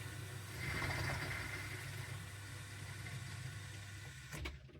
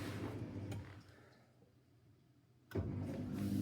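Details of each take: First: Miele dishwasher showing an inlet/drain fault (F19/F13). The drain pump works, then water hisses in for about four seconds and cuts off abruptly, stop-and-go; caused by a defective flow-meter circuit board in the water inlet pocket. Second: Miele dishwasher with F19/F13 inlet/drain fault, after replacing the circuit board in the water inlet pocket: low steady drain pump hum dips briefly, then returns stronger and even before the machine takes in fresh water; normal drain pump operation.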